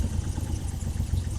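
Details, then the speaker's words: Triumph Trident T160 triple, first start after carb re-jetting (needle jets) and exhaust rocker box removal: low, even burble at tick-over with no hunting or stumbling, faint stand rattle; settles straight down every time, previously erratic. "Settles settles straight down every time. So, that's definitely a really good sign because it was, you know, you're never quite sure what you're going to get before."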